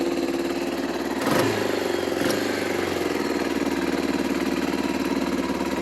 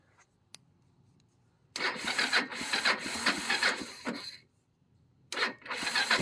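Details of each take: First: 1995 Bayou 300 4x4 ATV idling in neutral on choke, possibly low on fuel, with a rebuilt clutch reported. Steady, even single-cylinder putter at fast idle with no knocks or misses. Normal idle. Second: 1995 Kawasaki Bayou 300 4x4 ATV, just bought used: engine catches, runs roughly about two and a half seconds, dies, fires again; owner suspects low fuel; engine stalling.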